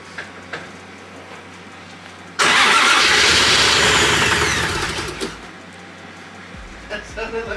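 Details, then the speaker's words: First start of a built 1JZ-GTE swapped into a Nissan 350Z, with oil pressure slowly climbing: it catches abruptly, roars unevenly for about three seconds and dies. It sounds starved, with a very bad misfire; they plan to adjust ignition timing. "what it sounds like you're trying to starve so you wanna change it feels like there's a very bad misfire"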